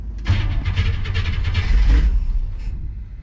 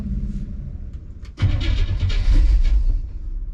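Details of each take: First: '57 with reinstalled FiTech fuel injection, cold start at about 45°F with no throttle: catches almost at once, then settles into a steady, even low rumble. Healthy cold start. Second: '57 with FiTech fuel injection reinstalled after warranty repair, first start attempt: uneven cranking chugs, then ragged firing bursts that surge and fade without settling into idle. Fires and shows an rpm signal but won't catch; hard start.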